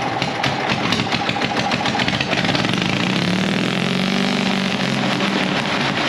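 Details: Gasoline pony motor on a late-1940s/early-1950s Caterpillar D6 cable dozer, a barn find that sat for years: a loud, rapid crackling beat as it catches and settles into a steady fast run. Normal running.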